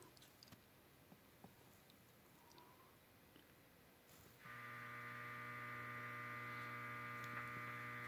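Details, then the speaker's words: Heathkit DX-60 ham transmitter on the bench, high voltage disconnected, meter on the 6DE7 tube cathode: after about four seconds of quiet, a steady buzzing hum snaps on and holds as the oscillator is picked up. "That's a damn oscillator that's being picked up."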